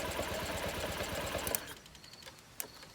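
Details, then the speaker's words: Honda Ruckus scooter after fuel pump swap, carb bowl still filling, little throttle given: starter churns about three even strokes per second for 1.5 s, engine never fires; cranking no-start, owner suspects no spark, was an unfilled carb bowl. "I don't know what's going on with it. Maybe I don't have spark or something."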